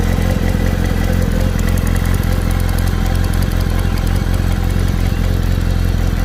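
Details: Kawasaki ZR7 motorcycle at idle: loose metallic clatter around three beats a second over a deep exhaust thump; owner asks what the engine noise is, cause not identified.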